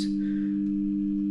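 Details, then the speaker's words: Rapido GWR 44xx DCC-sound model loco on a test track fed by an analog DC controller used for running in locos on a rolling road: a steady low mains-type buzz on two fixed pitches comes from the DC controller. "So interestingly, if you can hear buzzing there, that's because I've got my DC controller connected to the test track, which I used to run in locos on rolling road."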